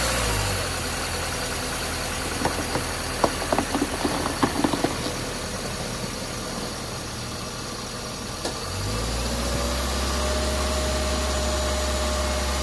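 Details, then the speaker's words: 2014 Subaru Forester with 262,070 miles, just after cleaning its heavily carbonized throttle body and an oil filter change: engine catches after some clatter and starts fine, settling into a smooth, steady low hum with no hunting, a healthy normal idle. "okay start it up just fine let it sit for a minute"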